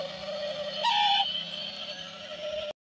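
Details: Hyundai i10 Grande CRDi Sports variant, fully shut down with no key inside: steady high-pitched whine and hum continue with a short rising chirp near one second; source unknown.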